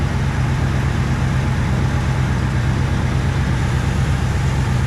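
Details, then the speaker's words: Cheap old truck, first cold start of spring on six-month-old gas: loud raw low rumble with uneven puffing at idle, running really rough; exhaust leak. "i got an exhaust leak as you can hear"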